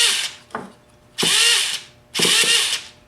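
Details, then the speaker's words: Rebuilt T-Maxx .15 nitro engine with a replaced starter motor, start attempt: the starter whirs in high-pitched bursts that spin up and drop out without turning the engine. The one-way bearing is slipping, and cleaning it is planned. "All right. Now, as you hear, my oneway bearing is getting a little weak. It's not wanting to grab all the time, but we're going to keep at [Music] it."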